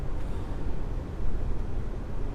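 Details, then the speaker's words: BMW xDrive AWD driving after front driveshaft replacement: smooth low road and tire rumble, slightly louder from aftermarket wheels; the growl on throttle is gone, caused by the front driveshaft, possibly a U-joint. "slightly a more road noise with these aftermarket wheels at all times but the problem whenever you love the gas it was making the growling noise that's totally gone"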